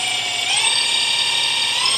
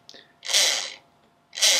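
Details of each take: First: Ferguson TED20 dynamo bench-tested before stripping, spun up to about 4,000 rpm with the field coil connected. High whine climbs and holds, but output reads only 0.3; the dynamo is not charging. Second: Ferguson TED20 tractor generator (dynamo) resting on a vise and spun by hand: two short dry rasps of the brushes on the commutator, the only drag expected; it is not stiff and the bearings or bushes are not seized, so it sounds healthy.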